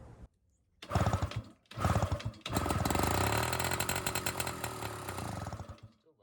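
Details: 1980 Yamaha Towny two-stroke moped, sitting since 1992, cold start with new welded exhaust pipe: short rasping blips, then a sustained crackly buzz, harsh and loud; muffler suspected to be a straight-through pipe without real muffling.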